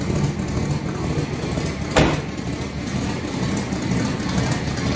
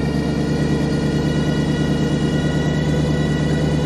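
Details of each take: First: Engine on its first run in a few weeks in cold weather, 5.5 psi running: settles into even, steady idle with one brief clack near start, no persistent knock; owner suspects a noise from power steering; normal idle. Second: Car restarted for the first time since a fuel pressure issue, with the exhaust on, after weeks of cold weather: steady idle with a constant high, thin whine over the engine note. Source unknown; owner plans to pull the power steering belt to check.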